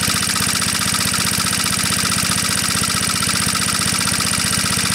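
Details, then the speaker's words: Onan PE-88 military power unit (350 W rated) as a light is unplugged and reconnected; governor arm linked to the throttle butterfly responds quickly, and a steady single-cylinder beat holds constant speed without hunting. "so was the response as I dropped load and place it back on sounds pretty responsive"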